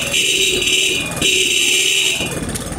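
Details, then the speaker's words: Motorcycle with dim lights at idle that brighten when revved: thin two-tone horn in short bursts at idle, weak and sagging as if fading out. Cause is a faulty regulator rectifier needing replacement. "como lo pueden escuchar a estimados amigos el Flags son parece como estuviera habiendo un cruce eléctrico suena pero no suena con una intensidad muy fuerte como queriéndose apagarse"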